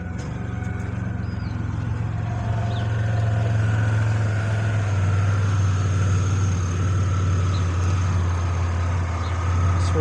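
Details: After repair with a new remanufactured alternator and new belt tensioner: steady, even low idle hum with no knocks, squeal or chirp. The system charges at about 14 V and the belt stays on the tensioner pulley, so the engine and charging system are healthy.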